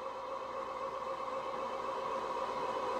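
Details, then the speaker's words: 4WD Citroën BX barn find, first cranking after sitting, oil squirted into cylinders, dash gauges unreliable: even cranking at about four beats a second, pitch firming and tone changing as oil pressure arrives; red oil light goes out; normal. "I can hear the tone change so I can actually hear the oil pressure but I have no indicators showing me the oil pressure but I can hear the oil pressure arrive it changes the tone completely on an engine"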